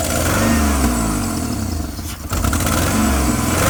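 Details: Jeep Liberty making very loud noises, smoking and shaking hard, dies if left to idle: loud lumpy running with heavy uneven pulse and a brief stumble; owner considered misfire, no metal-on-metal heard, cause unknown.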